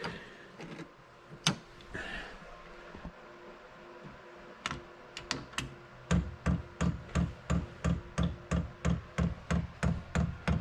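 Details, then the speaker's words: Newly installed Chinese diesel heater on 12-volt wiring, fuel pump priming: crisp, even ticks about three per second, quieter than expected given claims that the pump is loud. Normal priming. "hear it pumping gas. See, it went to on. Thought it'd be a lot louder than that. Everyone says that that pump is really loud. That looks to be priming."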